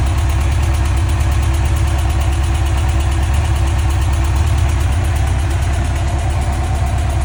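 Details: 2005 Yamaha FJR1300 at idle: steady four-cylinder idle with a fine, quick ticking riding over the low hum throughout; top-end tick of unknown cause.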